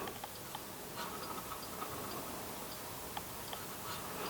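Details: La Crosse Technology TX144W anemometer after troubleshooting a groaning, sticking cup rotor: the spun cups give light, quick, even reed-switch ticks over a quiet room, the display reads about 4 mph, and the sensor is now working normally.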